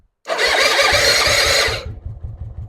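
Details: 2005 Suzuki Intruder that cranks well with spark, compression unknown, after petrol was put in each combustion chamber: a few seconds of rough, loud firing, then it dies to a slow lumpy chuff; runs only on primed fuel, carburetor suspected.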